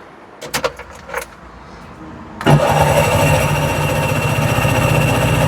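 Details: Carburetted tuk-tuk after freeing a stuck fuel tap valve: after a few clicks and rattles the starter cranks steadily at a quick, even chug but the engine never fires; carburettor looks clean inside.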